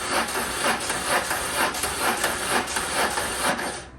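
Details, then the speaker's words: BMW R1100RT motorcycle during rebuild, first crank attempt on a really weak battery: starter turns the engine over slowly, about two laboured compression pulses a second, never catching; slow cranking from the weak battery. "All right, it'll turn over, but my battery is like really weak."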